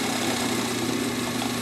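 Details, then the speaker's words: Vintage Pfaff 134-0-6 industrial sewing machine winding a bobbin off the belt under motor power, with the presser foot raised. Smooth, steady motor hum with a light, even whirr and no knocks or rattles: normal bobbin winding. "just winds. And as it gets, you can go really fast too, and it'll wind."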